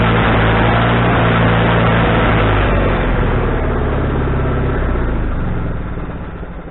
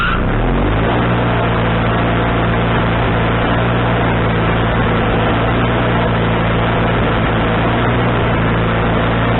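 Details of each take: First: Wood-Mizer LT40HD sawmill engine with a newly fitted carburetor, restarted after cooling down with the idle just set: it runs steady, then the note wavers and sags as the load comes on; surges on engagement, still needing carburetor adjustment. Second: Wood-Mizer LT40HD sawmill engine with a newly replaced carburetor, mixture screw set three turns out, not sawing: brief rev at start-up, then a steady, even drone with no surging or missing; owner thinks the tuning is now right.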